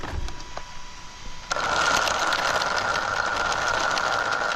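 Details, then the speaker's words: Two-year-old Traxxas Unlimited Desert Racer RC truck on 4S (two 2S LiPos), just after a hard landing, wheels briefly locked up: quiet at first, then a sudden loud high-pitched whine with rough grinding under power, pointing to stripped center diff gears. "Oh, yeah, something happened. Something happened. That's a new noise."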